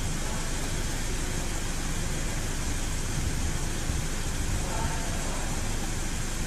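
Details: 2008 Audi S6 petrol engine idling smoothly with a steady, even low rumble and no stumble after repair; water had got into the cylinder 3 ignition coil, causing misfire and vibration at 100 km/h, and faults were cleared.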